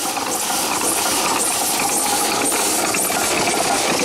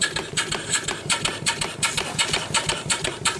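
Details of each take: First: Small steam engine run on low boiler pressure, leaking badly: loud steady steam hiss over loose irregular clicking as it turns, steam blowing past worn seals; many seals to replace. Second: so that's a good running little engine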